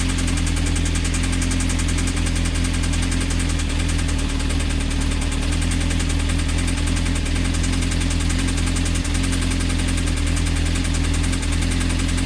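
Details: CBR engine at idle: a deep steady thrum with a faint regular knock underneath, suspected connecting rod play on the crank. Advice is to stop running it and check the rods through the oil pan; the cause is unconfirmed.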